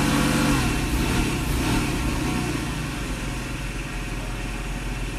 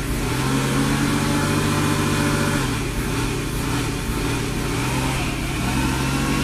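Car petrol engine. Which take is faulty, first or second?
second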